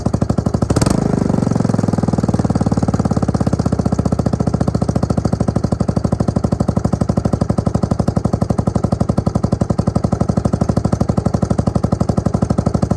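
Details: Suzuki LT250E Quadrunner single-cylinder quad after new fuel pump for fuel starvation and idle problems: after brief rev settles to steady even idle about four beats per second, no hunting or surging; fixed.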